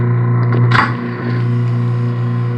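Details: Humming, jammed garbage disposal after freeing stuck debris by turning the bottom with an L (hex) wrench: brief clatter at start-up, then steady even low hum; disposal spins freely and runs normally.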